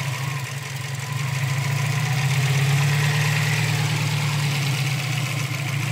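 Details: Subaru STI petrol engine with a rough idle that swells and pulses about three times a second. RPM bounces 500-1500, or 650-850 with the MAF sensor unplugged; cause unknown.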